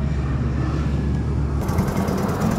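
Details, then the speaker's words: Mio Sporty scooter after replacing timing chain, worn tensioner and rocker arm without overhaul, previously rattling and clattering: steady low putter at idle with no rattle or ticking from the head; top end healthy. "Guys, nahandar na po yan. Tahimik na po yung head niya."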